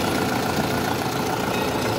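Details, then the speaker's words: Kia Soul after drive belt replacement, checked from underneath: a steady, smooth idle drone with no chirp or squeal; the belt noise is gone. "So, sa ilalim, yun, okay na mga boss, wala nang ingay."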